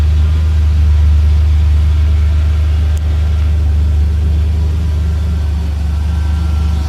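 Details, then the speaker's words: 1993 Ford Ranger XLT 4.0 V6 with Flowmaster mufflers, just after a fuel filter replacement: a deep, even rumble holding a steady note with no misses, ticks or knocks. It is running healthy. "all right she should be she sounds like she's going like a top that's really good"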